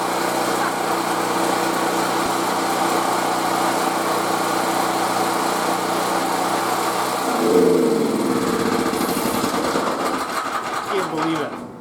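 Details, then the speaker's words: Ten-year-old mobile welding generator left outside uncovered for years, restarted: a steady, fairly quiet, even idle hum that then winds down; it was putting out about 122 V at the plug; normal idle. "guys I can't believe it this thing's been sitting for like 10 years unreal and it's pretty quiet I'm impressed so even the idol was obviously right"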